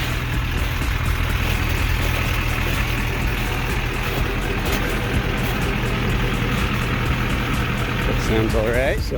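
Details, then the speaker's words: 2001 Duramax LB7 diesel, warmed up after a Liqui Moly diesel purge, idles very smooth with steady even clatter and deep rumble, no misses or knocks; owner suspects gunk in the fuel pressure regulator was cleaned out, and injector #4 previously stuck intermittently. "got her up to temp drove her out the roadways and it is idling very smooth so I may have had some gunk in my steel pressure regulator and liquid Molly may have uh cleaned it out"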